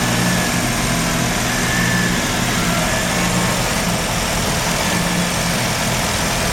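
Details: Mazda RX-7 rotary, failed annual inspection with very high CO (2.70): low idle with uneven lumpy beat and occasional stumbles; misfire worst with slight throttle; no oil pressure shown, no leaks; ignition leads already measured; misfiring at idle, cause unknown.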